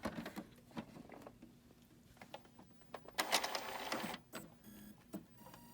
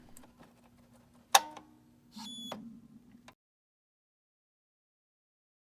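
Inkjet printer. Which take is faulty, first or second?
second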